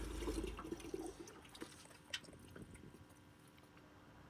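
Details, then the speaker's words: LG washing machine showing AE (flooding) error, power disconnected: faint irregular trickling and dripping inside the cabinet under the soap tray; water escaping because the detergent tray sump hose has come off. "I can hear the water under here somewhere. I can actually see it running down underneath the soap tray."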